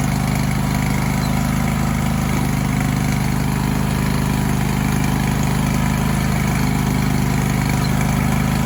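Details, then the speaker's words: John Deere lawn tractor with 613 hours, after cleaning the drive belt pulleys and applying WD-40 to cure a noise with the clutch pushed in: a steady, even hum with no squeal, chirp or rattle. Normal running. "so that fix the problem that's what it was"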